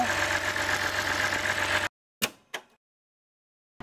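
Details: BMW 528i with N52 straight-six after gasket and part replacement: steady, even idle with no grinding or knock, a short break with two handling clicks, then the same smooth run; healthy.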